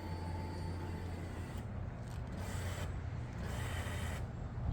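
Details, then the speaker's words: Lexus IS300 with a swapped 2JZ-GTE on a Fueltech FT550 ECU, engine off and ignition on, fuel pump triggered from the ECU output test to verify wiring: even, low buzzing hum held steady with no surging or grinding; normal. "so if I hit that it turns the fuel pump on"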